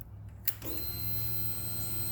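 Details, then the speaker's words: Honda VTX1800 (2002-2005) key on, engine off, after fuel pressure regulator replacement: light click then steady faint electric hum for a couple of seconds as the fuel pump primes air out; normal fuel pump priming. "Therefore, I'm going to go ahead, prime the fuel pump a couple times. You hear the air?"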